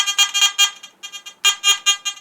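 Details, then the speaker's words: Garrett AT Gold metal detector with coil disconnected (three different coils all chatter), threshold zero: rapid uneven high-pitched crackle when moved; owner suspects a fault inside the control box; not confirmed, before teardown. "again so it is a little better without the coil with sensitivity down I can actually come down like just one notch but on full but then I move it so somewhere inside it's not right something's just not quite right"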